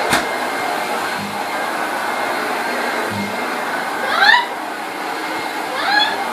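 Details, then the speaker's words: 1969 Hoover Junior 1354 Dirtsearcher upright vacuum, before restoration: steady even motor whir holding pitch through push strokes on carpet; running nice and smooth. "That's it. Hear the noise. I think it's because it's nice and smooth. I'm very pleased with it."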